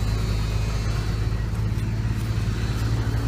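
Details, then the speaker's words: 1985 Dodge Ram D100 225 Slant 6 idling right after a cold start, sat two days at about 25°F overnight and under 40°F: deep, steady low rumble at even idle, no ticks or stumbles; normal cold idle. "been sitting all day yesterday and all day today. It's not exactly warm."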